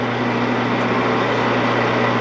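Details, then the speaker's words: 16-inch Axelson lathe that sat out in the weather, running: even motor hum, smooth gear whir, no knocks, rattles or grinding. Sounds good, though the spindle brake is not engaging, which oil is suspected to cause. "The spindle brake's not working, but this sounds pretty dang good. Being out the weather like it did, I think it sounds great."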